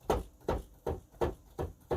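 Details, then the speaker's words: Nektar Panorama T6 MIDI controller played with sound off, on an octave with the DIY softening mod on the white keys: six dull, muted thumps, one every 0.4 s, on release, no sharp clack; key action improved and quiet. "softer more muted it's it's improved it's only done on the white keys"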